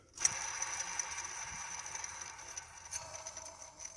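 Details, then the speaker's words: Tension idler pulley removed during water pump and fan clutch replacement, spun by hand: dry, gritty skateboard-like rasp fading as it slows instead of a quiet glide — worn idler pulley bearing. "this is a tension pulley and I just found something not good not supposed to sound like a skateboard"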